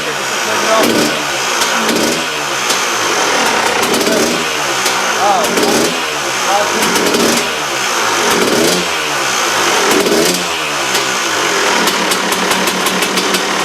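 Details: KTM two-stroke after replacing the damaged reed valve: crisp, buzzy revs climbing and falling through repeated blips, clean pickup with no bogging or misfire; much better than before the repair, healthy.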